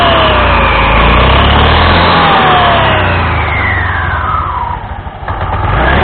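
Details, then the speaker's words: Honda Scoopy (Scoopy Donut) scooter after replacing damaged drive belt and front roller housing that caused loud CVT noise: starts and revs cleanly, note rising and falling smoothly with no slipping, rattle or belt squeal; normal running after repair. "Dan setelah dirasa semuanya telah baik, berfungsi dengan benar, maka baru kita akan memasang kembali semua yang telah kita bongkar, mengembalikannya ke posisi sebelumnya."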